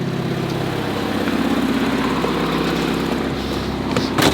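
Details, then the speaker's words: Barn-find Mazda Miata, not run for 3 years, idling after about 5 minutes warming, condensation at tailpipe but no smoke: steady even idle with light chatter over a low hum, no stumbles; running smoothly. "not bad at all a little bit of condensation at the tail pipe but it's not smoking it's actually running pretty quietly it's making a little bit of noise a little bit of chatter you can hear but honestly not bad"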